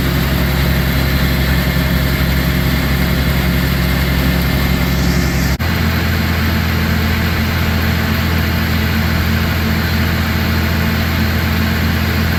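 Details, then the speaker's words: Newly bought Gehl 100 grinder mixer with hydraulic augers: steady even engine drone, one smooth step in tone, no knocks or grinding. Normal, smooth running. "But yeah, it runs nice and smooth. All the augers work. They're hydraulic."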